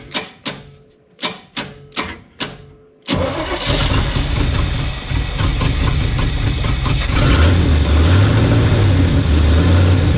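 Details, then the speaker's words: 1975 Chevy 4x4 with new spark plugs, hot-wired, electric fuel pump removed: four slow cranking bursts then a loud raw uneven roar; bad exhaust leak with no exhaust fitted, smokes, owner suspects no piston rings. "Oh boy, yeah, she smokes and there just is no exhaust on it. It's just nothing,"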